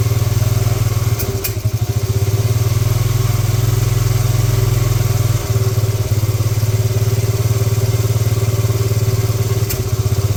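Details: 1986 Honda TRX70 first start in years: single cylinder settles into a steady, low even putter at idle with no knocking or misfire; runs normally.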